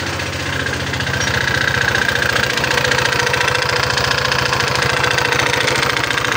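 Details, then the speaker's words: Old Honda PCX 150 scooter idling: fast, steady tapping knock, about three to four per second; cause not yet known, CVT to be checked first. Engine knocking. "PCX 150 lama ya, Teman-teman ya. Dengan kendala mesinnya suara melatak, Teman-teman."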